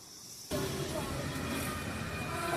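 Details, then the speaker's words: Empty 5-litre pressure cooker after repair with a new rubber gasket, recorded with the camera a little distant: soft steady hiss of escaping steam starts suddenly and holds even; building pressure and venting normally. "এটা হ্যাঁ হালকা হালকা কিন্তু স্টিমের আওয়াজ আসছে, আপনারা কি শুনতে পাচ্ছেন বন্ধুরা?"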